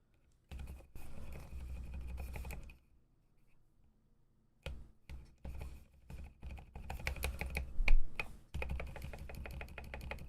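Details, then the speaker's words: Ducky One 2 Mini keyboard with silent switches being re-lubed: repeated presses on one switch, each with a small sharp tick over the soft keystroke; still ticking after lubing, more lube needed. "Nope. Still getting that ticking sound like you can hear it. So, we do need more lube in there."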